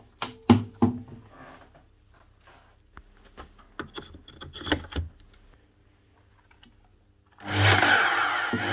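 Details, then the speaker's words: Makita LS1019 260mm miter saw after fitting a new motor with the original brushes reused: after handling clicks, motor spins up to a steady, even whirring hiss with no rattle or labouring; runs smoothly, slight sparking while brushes bed in. "Sounds a lot better. There's a little bit of sparking coming out of it, but that's simply because it's a new motor on it."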